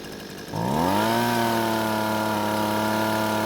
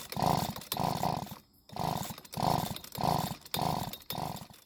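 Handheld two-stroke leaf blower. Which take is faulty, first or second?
second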